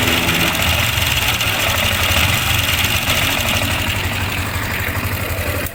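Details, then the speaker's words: Sniper 155 idling after another shop replaced cam bearing and clutch damper: busy rattly clatter over exhaust beat; manual tensioner adjuster nearly bottomed out, stretched timing chain, valve clearance also to check. "So sa kanya halos lubog na. So number one natin nakikitang sira nito iyung timing chain."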